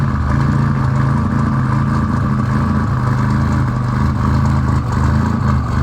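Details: Car after installing RJC V-band exhaust gaskets, exhaust leaks fixed: deep, loud, steady engine drone with solid low rumble, no ticking or puffing; exhaust sealed and running properly.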